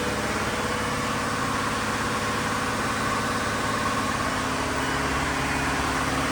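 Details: Diesel fire sprinkler pump on weekly half-hour test run, isolation valve closed, system on test; steady even drone with no knocks, misses or speed hunting, normal running.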